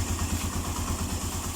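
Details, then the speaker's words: Suzuki Mola single-cylinder motorcycle after repair for a top-end tick that appeared once warm, with a new timing chain fitted and the original tensioner kept: low, even thump at steady idle, no sharp ticking, running smoothly. Normal idle, tick gone. "Sigurado na 'to. Nawala na 'yung lagitik. Ayan oh. Pino na ang andar."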